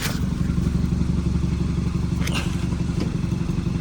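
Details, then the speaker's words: 2014 Hyundai Accent with 217,000 miles, seized engine just revived: fast steady puffing tick, about four per second, over a low engine rumble; exhaust leak. "I'm hearing some sound like we have a leaking exhaust um where's the exhaust though okay it's right here"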